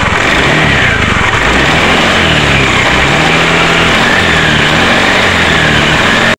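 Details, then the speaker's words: Honda Beat scooter a week after a CVT service: rough clattering rattle from the CVT appears when throttle is opened and disappears when released; CVT case bearing worn because the rear pulley shaft seal was not fitted; fix is bearing replacement. "kira-kira seperti itu ya untuk suara motor Masnya ada timbul suara geledek-geledek di bagian cpt-nya saat kita tarik gas suaranya timbul kemudian kita lepaskan gas suaranya hilang"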